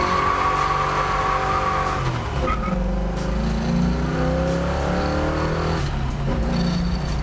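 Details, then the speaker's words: 1966 Ford Mustang with a built 302 V8 and a rebuilt rear end, launched hard in first gear: revs hard and pulls with a brief tire chirp, hooking well with no clunk from the rear end. Drivetrain sounds sound. "this thing is awesome it hooks now rear end's holding up right"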